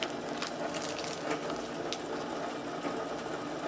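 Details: Advent 300 pressure-sensitive labeler with overhead pressure arm encapsulating thick labels onto molded plastic jars: steady, even whirring with light regular clicks, no hesitation; feeding consistently and running normally.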